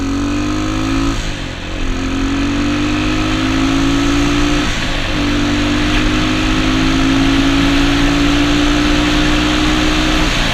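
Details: Honda XR200 single on its first test ride after a full transmission rebuild and other new parts: pulls cleanly through each gear, note climbing between two quick shifts, no knock or grinding; engine and gearbox healthy, rider says everything felt smooth.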